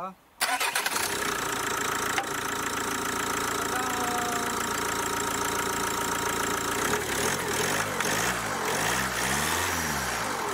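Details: Kia Ceed diesel with Bosch EDC16, ECU with the immobilizer switched off fitted, immobilizer light off but engine light on: quiet, then it catches within half a second into a steady, even idle; starts and runs normally.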